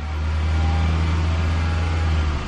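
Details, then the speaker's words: 2010 Toyota Camry Hybrid at 154,910 miles, throttle pedal floored to rev and charge the battery: deep, steady drone, smooth and even with no knocks, rattles or misfire; healthy. "Listen to this horsepower. Revving. We're gonna charge that battery. Woo! That's me putting the throttle pedal to the floor."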